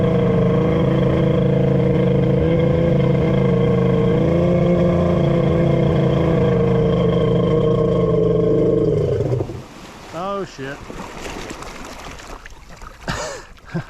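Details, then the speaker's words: Kawasaki 1100 triple X2 jet ski on its first test with a custom cylinder head: a steady engine drone drags, then cuts out abruptly, leaving splashing. It seized; the owner suspects a sticky jet pump or pump bearings, not overheating. "oh she's seized doesn't sound hot sounds like sticky pump or sticky bearings"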